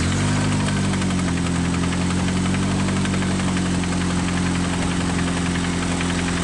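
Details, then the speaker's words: Rough idle with rapid knocking about three to four times a second under the engine drone; connecting rod banging—rod knock. "Rod knock right there. Sounds like the connecting rod is banging up."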